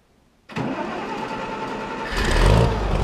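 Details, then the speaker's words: Farmall 460 tractor started after changing and cleaning plugged hydraulic filters to restore loader, bucket and power steering: engine catches quickly, settles into an even, steady idle, then picks up revs; normal start and idle. "There, that's all there is to it. Let's fire it up and see if we have hydraulics now."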